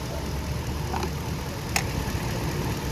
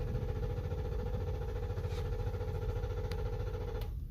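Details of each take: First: 2013 Toyota LX 570 after fixing crank-no-start hard starting caused by a misplaced EFI relay: steady even idle, smooth low rumble, no misses or knocks; normal idle. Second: 2013 Lexus LX 570 (Toyota) cranks but won't start: starter turns at an even low chug about 3.5 beats a second, engine never catches; caused by a faulty or misplaced EFI relay, diagnosed without a scanner.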